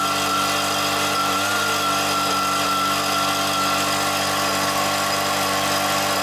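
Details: Stihl BR86c leaf blower after rebuilding the bottom-end crank bearings (failed from incorrect two-stroke mix), with the carburettor cleaned, running indoors: a steady, even, high-pitched two-stroke drone with no misses or rattles. It runs cleanly.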